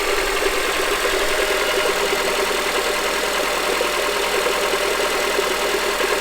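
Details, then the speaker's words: 2007 Honda CR-V at idle: light, regular knocking carried up through the top of the engine over a thin hiss, caused by a bad AC compressor clutch, later replaced with an aftermarket clutch. "so as you can hear that was more of a knocking noise and I actually changed that air compressor clutch with one that I bought off of eBay for like I don't know it was like around $40"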